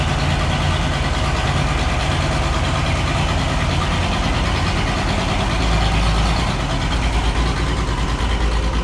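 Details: Oliver 1650 tractor diesel six, first start after sitting at least 3 years: loud, uneven idle lumping about three beats a second, missing on a cylinder or two with heavy smoke, not running on all six; misfire, needs injector work.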